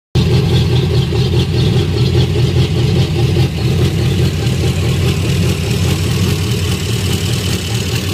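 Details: Golgotha's first run after rebuild: low steady idle with a mild rhythmic pulse about two beats a second, no knocks or squeals.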